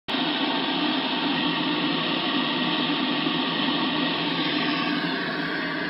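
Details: Icom IC-7100 on 2m band, monitored alongside a DVB card: steady loud hiss with faint buzz swamping repeaters and weak stations; seems to occur only when two signals transmit together around 145.1 MHz, easier heard in AM; source unknown.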